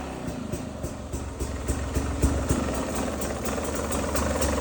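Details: Brand-new 2022 Beta 300RR two-stroke with about 10 minutes of use: loose clap or knock about three to four times a second over the exhaust, only at initial revs, not low or high rpm; cause unknown.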